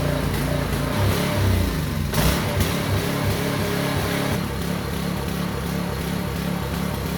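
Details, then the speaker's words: Small engine on a concrete vibrator needle unit, running after carburetor strip-down: low throbbing beat with an uneven, lumpy lope like a big cam; owner suspects gunk still coming through the fuel line. "Okay. Runs pretty good, as if it's got a big lumpy cam in it, but that's not the case. I think it's still a bit of gunk coming through the line, through the system."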